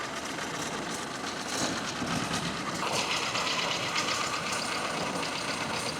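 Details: 1928 Ford Model A pickup, 40hp four-cylinder barn find with original wiring, running again: uneven but steady chugging with plenty of hiss and clatter on top, no clear knocks; normal running.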